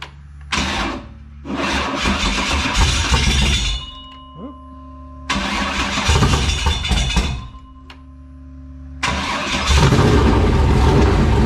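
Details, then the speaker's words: LQ9 V8 with Texas Speed MS4 cam on run stand, Holley Terminator X base tune: catches to steady even idle between short restarts, crisp fast rev pickup, no misses; owner thinks air-fuel slightly rich, needs fine tuning. "but uh it's idling it sounds really really good"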